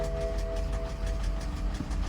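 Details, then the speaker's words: Car at auction, just started: rough idle with quick uneven tapping knock under engine drone, music in background; engine knocking, cause unknown, possibly low oil but no oil-pressure warning, drivetrain malfunction light shown. "okay all right it started but it's knocking"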